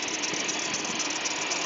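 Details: GMC Safari van 4.3 at idle, front of engine: high thin chirps about four a second, squeak present for a year despite new alternator, power steering pump, water pump, timing chain and AC bypass test; owner now suspects the belt itself.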